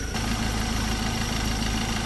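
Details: Ford Ranger 2.2 T6 diesel at about 100,000 km, after a cracked EGR cooler let coolant into the engine and the whole EGR system was removed, following a 32.6 km test drive: steady, even clatter at idle with no knocks; normal diesel idle.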